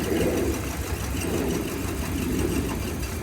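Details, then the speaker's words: 2000s Hyundai Accent at idle after swapping ignition coils between cylinders: idle lopes with a stumble roughly every second; misfire confirmed to follow the faulty ignition coil. "go ahead and check the guy that was swapped and now it should run a lot rougher"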